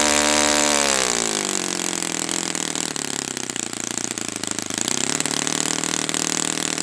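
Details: Brand-new Saito FA-100T twin model engine on test stand during break-in run: high buzz drops after the first second, then holds a steady, even pitch without sagging, both cylinders clean; running perfectly, normal.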